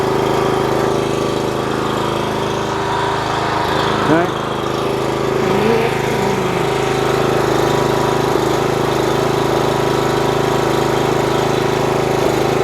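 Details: 4 kW generator under repair, running unloaded on a test rig at 52.3 Hz and 250 V, slightly high: a steady, even drone at constant pitch with no surging or hunting; stable speed.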